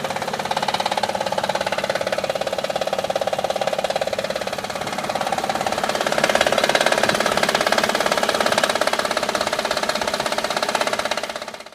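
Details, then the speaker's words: Honda Odyssey at idle: rapid rattly ticking, about two or three beats a second, caused by a worn timing belt tensioner. After replacing the tensioner the engine was very quiet. "okay the first part of our video you can hear the Angels make a lot of noise and what closet was this dry belt tensioner"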